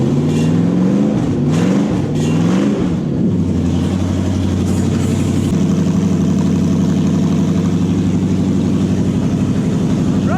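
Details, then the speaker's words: Toyota 1UZ-FE V8 swapped into a Massey Ferguson tractor, first start after new wiring loom and ECU hookup, oil pressure checked: a few throttle blips, then a settled, even idle with steady low burble, no misses; fuel pump and engine working normally. "fuel pump works engine works it all runs pretty ever hear that"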